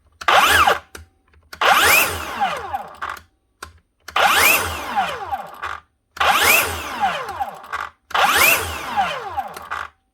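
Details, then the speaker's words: DeWalt 54V/60V cordless saw motor whirs up then cuts out and winds down, five times in ten seconds, even after new bearings were fitted; the worn bearing had already ruined the motor. "It will not keep running. Now, I've already tested this, realised this, dropped it all down again, adjusted the tacho, rebuilt it, strapped it again, used a thermal imaging camera on it, adjusted more things, tested more stuff, cleaned out stuff with contact cleaner."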